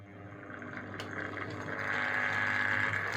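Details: Hornby HM2000 PWM controller driving a model locomotive on a slow pull away: low steady buzz under a thin rising whine with grinding noise as the loco creeps off; PWM controller motor buzz and grinding.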